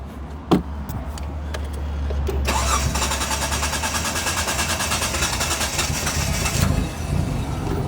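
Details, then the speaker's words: 1995 Mitsubishi FTO barn find not started in 10 years: the starter cranks steadily for about four seconds with no catch and no pump priming, though the pump has power; the owner suspects a seized fuel pump. "Okay. So, we're definitely not getting any fuel pump. We're not getting the fuel pump run."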